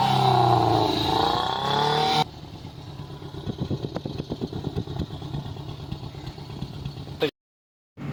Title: Toyota Corolla XLI Misfiring blown head gasket